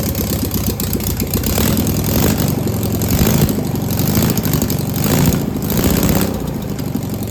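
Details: Steady, even idle with a consistent low beat and no misses or knocks on an air-cooled single-port engine; distributor possibly a tooth off, valves confirmed oiling; engine sounds healthy.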